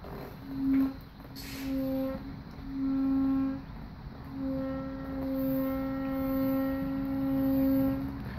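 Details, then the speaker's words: KTM Super Duke 1290 R pushed in first gear with the clutch pulled in: low squealing groan in strokes, and the bike is very hard to push; sounds less bad in neutral with the clutch out; owner suspects front wheel/brake. "so here's the bike it's in first gear I pull the clutch in and try to move you'll hear the sound"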